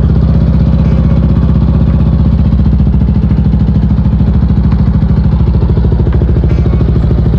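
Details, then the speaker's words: Yamaha NMAX V2 scooter after top overhaul for oil and coolant consumption (new piston and rings), first start without radiator fitted: even, quick pulsing idle, steady low beat, quiet, no knock, no smoke; normal idle. "tahimik naman yung makina mga boss. Check ko na lang kung mayroon ba itong mga leak o kung magbabago ba yung minor nito."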